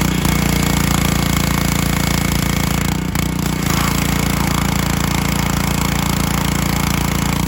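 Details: Honda GC190 engine on a 2700 PSI pressure washer, revived after replacing a bad spark plug and contaminated oil: steady, even low single-cylinder thump with no misses or knocks; runs smoothly and healthy.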